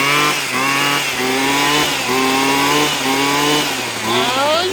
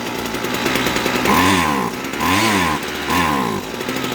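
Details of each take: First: Husqvarna 122HD45 hedge trimmer that only ran on choke, after carburetor and fuel line repair, running without an air filter. Crisp two-stroke buzz holds steady, then revs up and down freely without choke; normal running. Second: Husqvarna 122HD45 two-stroke hedge trimmer that only ran on choke, idling with choke fully in: note sags and stumbles each time throttle opens before recovering; bogging from lean high-speed mixture, carburetor and fuel line faults, no air filter fitted.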